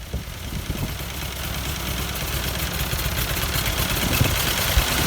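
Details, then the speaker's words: 1952 Ford 8N tractor, partially restored, unrun for years: rough uneven idle stumbling and missing beats as it slowly picks up; owner suspects carburetor adjustment or bad plug, but one cylinder was dead from stuck-open exhaust valve. "could be that carburetor needs a little adjustment"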